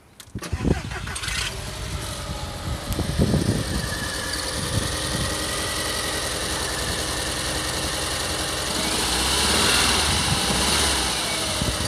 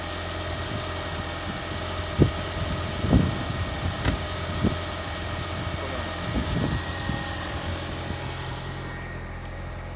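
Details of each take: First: VAG 1.8T turbo engine with intermittent misfires, power loss and new spark plugs already fitted: it catches into an uneven, lumpy idle with irregular stumbles, not firing on all cylinders with unburned fuel smell; owner suspects the ignition coils. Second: VAG 1.8T turbo engine at idle after fixing misfires (new spark plugs, ignition coils replaced): steady even idle, smooth low drone, no stumble; rough idle gone, firing cleanly on all cylinders.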